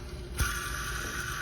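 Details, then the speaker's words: 2007 Jeep Grand Cherokee CRD diesel (OM642), during water pump replacement; pulley spun by hand knocks then coasts with a steady rough whirr, both idlers noisy, not terrible: idler pulley bearing noise. "and i didn't order these i probably should have these are both noisy not terrible but they're noisy"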